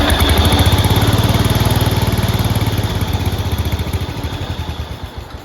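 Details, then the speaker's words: 1971 IH Cub Cadet 126 single-cylinder, first run after sitting for decades, with throttle held by hand. Thumping slows and fades until it stalls. Fuel starvation was suspected (stuck needle and seat), but the fuel valve had been left shut off. "There we go. Okay, so I think we figured out our problem. It died, so I think fuel is not getting to the carburetor, or it's not getting through the carburetor."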